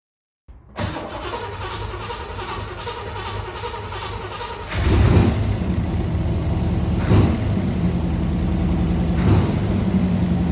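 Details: Unrestored 1969 Chevrolet Corvette C3, original V8, 66,000 miles, sat 17 years, after fuel system cleaning, new fuel filters, fresh fuel and new battery: steady cranking about four beats a second, catches, settles into even idle with blips.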